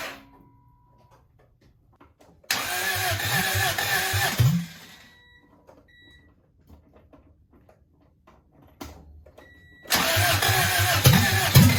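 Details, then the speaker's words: Honda DC2 Integra after a fuel line fix with new fuel filter, header off, fuel pump primed 10 cycles: two spells of steady starter cranking with silence between, engine never catches; cranks but won't start, owner suspects not enough fuel reached the motor on first run. "uh maybe it was just because it was a first time running fuel to the actual motor because the fuel pump primed i primed it 10 times to try and get enough fuel in there but it probably wasn't enough"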